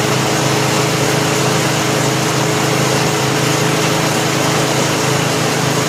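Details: 1988 Snapper 21" self-propelled rear-bagger mower, 4 HP Wisconsin Robin (Subaru) engine, after new rope starter, service and tune-up: loud steady buzz at constant speed, no surging, sputtering or knocking; running properly.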